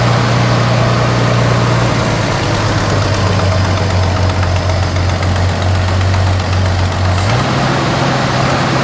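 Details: 1973 Dodge Dart Swinger, 225 slant six, first start after 29 years in a barn: steady low rumble at idle, even firing with a small step up in speed near the end; smooth, healthy idle on fuel fed to the carburetor.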